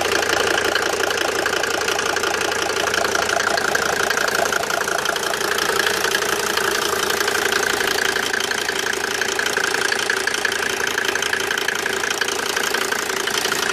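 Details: Mercedes W202 with OM605 turbo diesel: steady idle with a sharp, fairly regular knock about three times a second over the clatter; strange engine noise, cause unclear.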